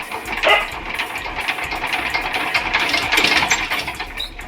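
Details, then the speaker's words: VST power tiller diesel, hand-cranked start attempt: slow turnover with uneven chuffs, no injector chirp or firing; pump delivers fuel but the nozzle is believed not to spray, so it won't start. "আমি এতিয়া handle ঘূৰাওঁতে গম পাই গ'লোঁ যে ইয়াত নজলে তেল মৰা নাই মানে কি হ'ল যিটো পাম্পে তেলটো দিলেও নজলে তেলটো মৰা নাই বুলি ভাবিছোঁ কাৰণ নজলে যিটো চাউণ্ড আমি পোৱা নাই"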